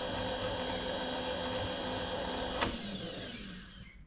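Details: Precision Matthews PM-25MV mill, new X-axis power feed at lowest speed, table run across and back then disengaged: smooth steady electric motor whine that cuts off and winds down; feed motor working normally.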